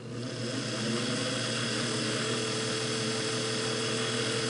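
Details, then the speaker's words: Singer Model 404 slant-needle sewing machine after degreasing and fresh oil and grease: quick, even mechanical chatter at about four beats a second over a light motor hum; smooth, healthy run. "that sounds great just speed it up a little that's actually pretty fast for having uh degreased it and put some fresh oil and grease on there"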